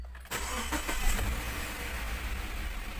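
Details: 2015 Subaru started after a DIY engine wash: quick crank, catches at once and settles into a smooth, even idle without stumbling; clean start with no check-engine light.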